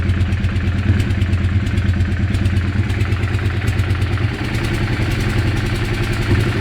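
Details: Weird engine sound: steady idle with a loose, irregular clatter of about two a second over the low beat, source unclear.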